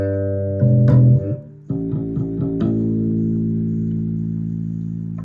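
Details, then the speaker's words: Sterling by MusicMan Ray 34 bass with stock active preamp, after repair: plucked notes ring clean and full with no hum or crackle. It had made noise when the preamp's metal parts were touched; the fix was resoldering a bad ground connection. "There she is, good to go. So if you have a weird wiring issue, hum thing like that, be sure to check your grounds."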